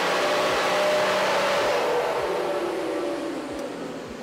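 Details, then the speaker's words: Nissan Patrol, freshly built TD42 turbo diesel (All States 11mm injector pump, GT28 turbo, about 500 km since build) on dyno rollers after fuel and injection timing tuning: loud steady roar with turbo hiss winding down evenly, no knocks; healthy, 192 hp. "I think we're done the patrol is doing the job we've made 192 horsepower which is pretty bloody good for a td42 that hopefully will last a long time"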